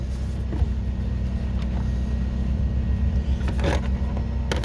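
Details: 2006 Nissan Murano with a no-start fixed by replacing the failed fuel pump at the rear: after the repair the engine starts and holds a deep, even, steady idle rumble with brief handling noises; runs healthy.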